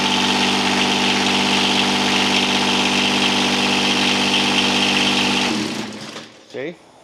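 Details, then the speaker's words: $50 John Deere 455 diesel tractor: starter solenoid too weak to pull in with key, so starter power is jumped directly; steady fast cranking at about three beats a second, starter turns engine fine when fed directly. "so in order to start it you got to turn the key [Music] on you got to suck that in then you got to come over here and jump off the power going to the starter"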